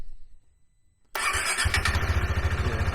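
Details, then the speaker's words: KTM 390 Adventure restarted after the earlier hard starts (suspected air in the fuel system from tank removal), with the PowerTRONIC ECU plugged in but before the tuner was hooked up: the single catches instantly and settles into an even steady thump; a normal, healthy start. "And now it seems to be starting up just fine. Start it up one more time."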